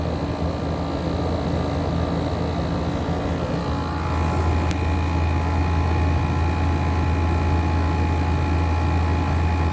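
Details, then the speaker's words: 12,000 BTU Frigidaire window air conditioner, recently repaired and filthy when acquired, running outdoors in humid weather. A steady low hum with constant fan whoosh and an even compressor drone. It runs well, with a cold, sweaty coil and condensate in the pan. "This thing runs really good too."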